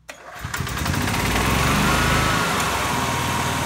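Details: EZ-GO golf cart single-cylinder engine with a new spark plug: the old plug sparked when grounded outside but not in the engine. It now cranks and catches almost at once without choke, then putters steadily with no misfire, though it is running rich.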